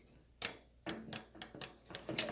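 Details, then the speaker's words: GE JVM3160RF2SS microwave that trips the breaker: a known-good comparison switch gives crisp, sharp clicks, about six in two seconds, as its actuator is pressed, unlike the silent bad interlock switch; normal switch click. "So even this good comparison right here is to, so see how that switch actually makes a clicking noise, this one doesn't?"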